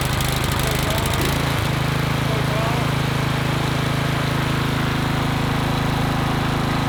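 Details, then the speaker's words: Troy-Bilt Vortex 2890 snowblower single-cylinder engine after cleaning a solidly plugged low idle jet: brief choppy catch settles within two seconds into a smooth, steady putter with no surging or hunting; low idle surge fixed. "We have fixed the issue. What do they say? You don't know what you don't know? That low idle screw was plugged solid."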